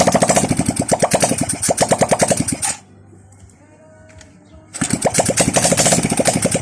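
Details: Honda XRM 125 after overhaul with a new connecting rod set, first run after rebuild: quick even single-cylinder putter, briefly dropping out then picking up, no metallic knock or slap; a healthy idle.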